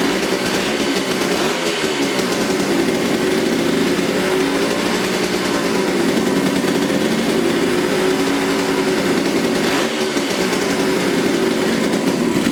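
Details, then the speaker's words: 1972 Suzuki TC125 two-stroke from a salvage yard, running after carburetor cleaning: steady, buzzy fast idle with no clear misses and some smoke; it runs only with the choke on and bogs without it; owner suspects more carb cleaning, a new carb or air-screw adjustment is needed. "it only runs with the choke on if i turn the choke off it starts to bog out so uh probably gonna need a little bit more carburetor cleaning or just a new carburetor but hey it runs it sounds good"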